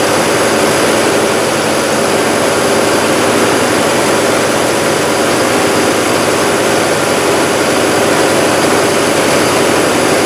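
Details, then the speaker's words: 1969 Mercedes-Benz 300SEL 6.3 V8 during restoration, exhaust refitted: loud, steady roar with no knocks, misses or surges; running smooth and even. Heater core leaked coolant onto floor pans after reaching temperature. "But let me see if I can get it running, and you guys can hear it. You can see how much better it is."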